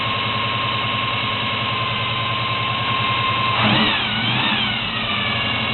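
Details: 1972 Chevy Monte Carlo small-block 350 V8 on its carburetor before the FiTech EFI conversion, with a bad factory starter. A steady high-pitched whine rides over a rough idle, pitch sliding as revs shift. Source of the whine is unknown.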